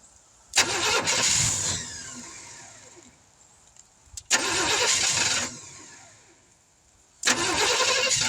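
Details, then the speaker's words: 1971 Chevrolet C10 after sitting for decades, outdoor start, timing just advanced, no fuel pump: three tries, each catching with a bark and running rough about a second before dying. Owner suspects an inadequate fuel source, possibly spark plugs. "Well, she wouldn't quite run. She'd start up, run for a second, go out. I don't think we have a good enough fuel source, like I talked about before, but kind of a success, kind of a failure."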